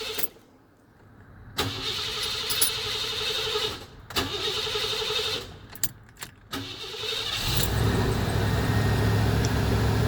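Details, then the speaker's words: Old van after third starter solenoid replacement in 3 years: several cranking bursts with pauses before it catches and idles roughly; slow to start, owner usually lets fuel pump run before cranking. Cause suspected, not confirmed. "took a couple of turns most of the time when I when it's quit his range like it did today I will click it on and let it hold for a while and let the fuel pump go for a while before I try to start it"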